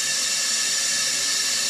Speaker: that's debris inside this fill valve okay so i'm going to show you how to clean that out and fix this